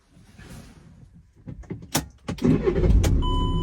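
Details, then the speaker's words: VW Crafter 2.0 TDI MWB van with over 300k miles, diesel started on the key: a short crank and it catches on the first try, settling straight into a steady, even idle with no stumbling. Owner says it always starts first time. "So, as you can hear, it literally always starts first time. First touch of that key. That's it. That's up and running literally straight away every time."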